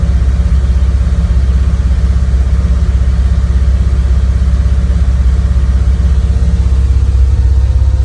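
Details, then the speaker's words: Cold start at about 37°F (9°C) after sitting overnight, CIS fuel injection, frequency valve relay recently replaced, no throttle input, warming up: fast steady drone well above normal idle, RPMs later coming down; high idle. "Nothing on the AFR. The RPMs are coming down. I heard it change."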